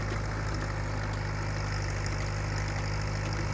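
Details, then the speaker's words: Restored Allis Chalmers B tractor on its first test drive in about 28 years, first gear: steady, even low drone under light load, no knocking or stumbling, running normally; slight clutch chatter noted; a nearby hit-and-miss engine sounds like a miss. "only thing I've noticed through all the test drives is a little bit of clutch shatter all right what sounds like a Miss is actually hit miss engine running next to it so ignore that"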